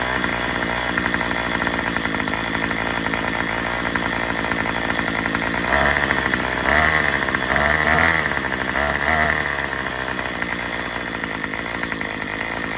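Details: Murray M2500 trimmer on a new replacement carburetor kit, test run before tuning; runs ragged and struggles, revs surging and sagging. It bogs on an untuned high-speed mixture screw.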